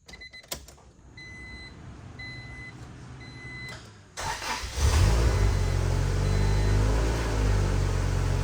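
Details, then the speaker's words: 1995 Acura Integra GSR after new motor mounts replaced worn bushing that caused heavy vibration and cabin rattle; engine starts and idles smooth, cabin quiet with door shut, no rattle — normal running. "oh oh let me show how quiet it is in here shut this door super quiet"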